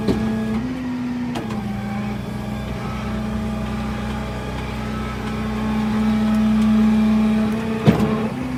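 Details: Toyota 4Runner with a bad transmission: a steady droning hum rises and falls with speed over the engine sound, suggesting a noisy automatic transmission; suspected, not confirmed.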